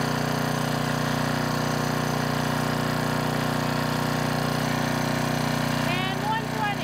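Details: Trash-rescued Generac 5000 W generator on its final test after a new carburetor, tuning to 60 Hz and a kill switch fix: a steady, even drone at constant speed with no misses, knocks or surging. Normal running under governor control.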